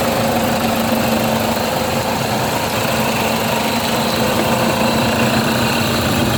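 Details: 2007 Toyota Fortuner that previously would not start, running again after repair: steady, even idle hum with a constant low drone and no irregular knocks. It sounds like a healthy idle.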